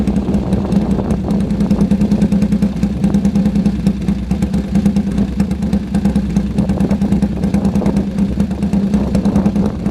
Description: First start after the full rebuild on the sidecar engine. Pretty sharp.